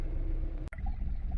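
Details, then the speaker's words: Kia Rio (initially called a Forte) with misfire, shaking and lack of power after prior coil work elsewhere; on a test drive it can't leave the driveway, deep uneven chugging, cylinder four not contributing, no throttle response; piston ring problems suspected. "I can't even make it out of the driveway it's running so bad cylinder four is just not even contributing right now"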